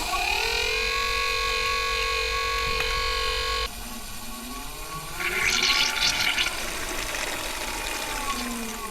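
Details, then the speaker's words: Marco bronze gear pump supplying a boat's domestic water, during bleeding after fitting: steady whine drops away, then turns rough and hissy with gurgling surges; the pump's monitoring flags air entering the pump. "The pump's monitoring has told me there's a problem. There's air coming into the pump. I've just got to find out where from."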